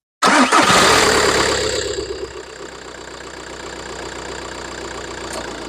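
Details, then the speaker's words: VW Golf 4 1.9 TDI 130 diesel with 464,000 on the clock, started after a thermostat replacement and coolant refill; cranks once and catches straight away, flares then settles to a steady, even idle with no knocks or misses. "T'as vu, elle démarre au quart, l'auto, et 464 000, mon vieux. Au quart."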